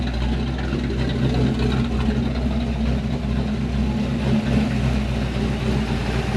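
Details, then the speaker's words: Chevrolet Malibu small-block V8 idling after new top-end install: light quick ticking over steady idle, thought to be noisy valves with rockers not yet adjusted; runs and idles well, oil pressure above 40, temperature coming down. "I think that's just noisy valves. The rockers are not adjusted."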